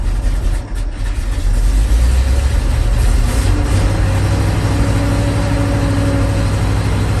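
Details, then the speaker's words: 1988 GMC 7000 boom truck, big-block 366 V8 with smog pumps removed, cold start after sitting one to two months: steady low idle, deep even rumble, no knocks, idling without choke; normal cold idle. "all right so that's the low vital she's idling without any choke on right now"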